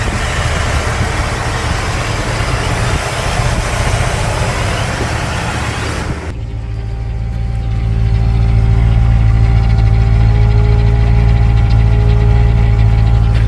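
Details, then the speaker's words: 1977 Ford Thunderbird V8 idling in park, warm after drive, following exhaust leak repair between cat and pipe with muffler mud and gasket: deep steady burble, no puffing or ticking; leak sealed, runs even. "so I'm back at my place of residence got idling here in park"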